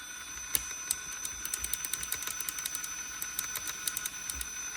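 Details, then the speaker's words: G-Speed GShot FS RC crawler on its first battery run after the drivetrain and electronics build: a high motor whine with rapid, light, uneven ticking; owner says it sounds like a rod knock, and a worn or damaged spur gear is suspected. "sounds like a rod knock but hopefully I can get it fixed"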